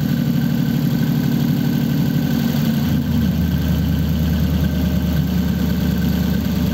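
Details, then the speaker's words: 1933 5-window coupe, worn "crusty" flathead V8 started after nearly 3 years parked, idling through dual pipes with very short mufflers: low, steady rumble with an even firing beat and no knocks, misses or hunting; normal healthy idle. "It's got dual pipes with just a very short muffler each side. You wouldn't think that this motor was, you know, a complete wreck."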